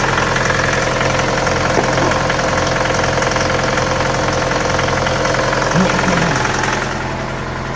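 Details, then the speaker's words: Cold Mitsubishi L200 diesel idling at −7 °C with a regular sharp knock about three or four per second over the clatter; knocks every morning, fades once warm, recently also under load, louder in higher gears. Cause unclear. "Такой звук двигателя происходит каждое утро при запуске двигателя. При прогреве двигателя стук пропадает."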